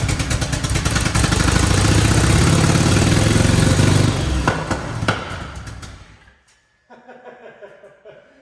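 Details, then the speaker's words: 1981-era DeLorean with an added twin turbo system, parked 40 years, first start after pushing down the fuel metering plate: a loud, lumpy idle running very rich that stumbles and dies. Misfire; a stuck injector is suspected, possibly more than one. "Okay, so it's running really rich. Definitely an injector stuck somewhere, but I'm pretty happy with that, honestly."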